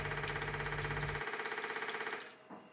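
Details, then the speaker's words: Homemade jet motorcycle's pulsating fuel pump, switched on by a temperature sensor heated with a lighter: fast, even ticking pulses about twenty a second for two seconds, then stopping; normal pump cycling. "As soon as the temperature reaches the desired set point, a pulsating pump is turned on, which will drive fuel through the heat"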